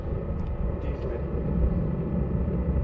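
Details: Chinese diesel heater with added muffler/silencer: constant low jet-like roar, steady in pitch, barely quieter; owner suspects the motor bearing.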